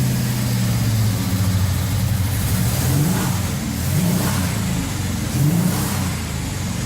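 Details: 1978 Scirocco with swapped 24v 2.8 VR6 and 5-speed, first run at partial throttle: clean rev blips with raspy puffing edge; suspected exhaust leak, noisy muffler.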